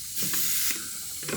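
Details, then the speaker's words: Turbocharged LFX V6-swapped Volvo wagon under boost testing at about 40 psi: steady airy hiss in short bursts, a boost leak, apparently created during testing; exact location unconfirmed. "I don't know if we found a boo leak but I definitely created a boo leak"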